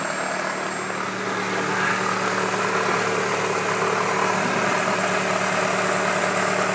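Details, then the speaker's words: 1996 Toyota Camry 2.2L at steady idle, oil leaking at the oil pump flange: soft rhythmic thump about three per second, caused by the power steering pump pulley cutting into and rubbing a plastic cover. "as you can hear sounds kind of like a thumping noise well come to find out that there's a plastic cover in down there and the pulley that's attached to the uh"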